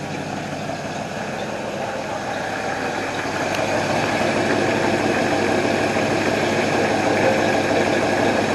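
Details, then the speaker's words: 1968 Ford Mustang coupe, off the road 15 years, carburetor with working choke, warming up at idle after recommissioning; even smooth lumpy beat about three per second, no knocks or misses, doesn't smell rich; healthy and well tuned. "see what does it sound like out here actually sounds good doesn't smell rich yeah i think we're sitting right where we need to"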